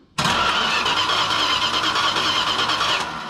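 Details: 1968 Chrysler Newport with a points ignition, after overheating and a cooling flush: the starter cranks steadily for about three seconds with a whirring drone but never catches; the coil has spark, so the owner suspects the points or condenser.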